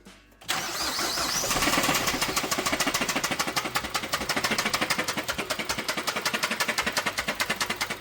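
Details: Right after start-up, a fast, sharp, even ticking of roughly seven per second rides over the idle. The noise began within an hour of the customer getting the car; it is an unknown internal engine fault.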